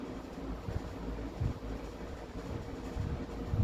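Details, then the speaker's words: Vintage 20-inch deluxe Sears box fan: soft even low rush of air with no ticking, rubbing or wobble; motor and blades sound healthy, normal running. "But jeez, the sounds that these make is just amazing. This sounds amazing."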